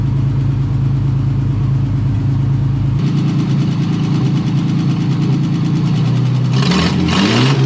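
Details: 1953 Chevy 5700 COE truck started after about 50 years sitting, carburetor controlled by hand: low steady idle that holds on its own, with a quick throttle blip near the end and no misses; runs fine.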